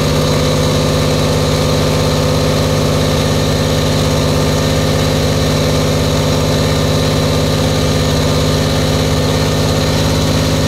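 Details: Buick Grand National, new engine, second 10-minute cam break-in run: steady even fast idle with a smooth low rumble, no knocks or misses; healthy fresh engine.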